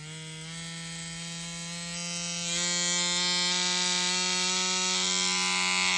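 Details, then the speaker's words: Ambition Ninja Pro tattoo machine with voltage raised toward its 12 V maximum. A buzzing hum climbs in pitch and grows harsher and louder over a few seconds; it runs erratically because the machine cannot cope with that voltage. "нет надо делать максимально возможное напряжение 12 вольт такой чуши это прямо постулат какой-то если никто не работает на этом напряжение если не вывозит машина зачем она все это"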